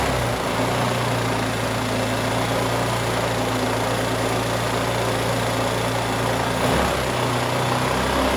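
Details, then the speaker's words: New 79cc bike kit two-stroke engine with muffler and air cleaner fitted, governor still in: fast, steady buzzing idle well above normal with one brief dip; needs a high idle to start, can be adjusted down afterward. "all right fellas now you can turn this idle down to where it sounds more like you're just uh thumping along uh at an idol i mean for just for it just sitting but it won't start up with it on low idol so these are notorious that you got to have a high idle and then you have to adjust it"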